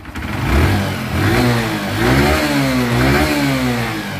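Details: Honda Dream motorcycle after piston ring install for engine sound and top speed problem: small single's exhaust note climbs and drops cleanly with throttle, no knocks or misses; normal revving.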